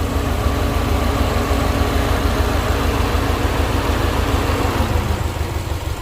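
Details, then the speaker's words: Subaru WRX STI at idle with the AC on, after replacing a seized, stiff pulley: steady, even idle with no squeal, chirp or bearing rumble from the belt, much quieter than before. "Alright, check it out. Sounds like it's pretty quiet, better than before. I got the AC on."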